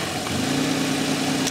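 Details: Vehicle at idle during vacuum-type EGR valve test: engine settles into a steady, even idle with a smooth low hum and no stumble or miss.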